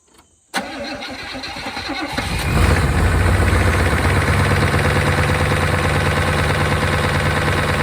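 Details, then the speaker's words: 1992 Chevrolet Caprice wagon parts car, supposedly seized after sitting in a field, low fuel; cranks, catches, settles into fast light ticking about three a second, lifters getting louder while running; owner suspects noisy lifters, ticking at idle. "uh that sounds a little louder gun lifters very strange cuz it's running"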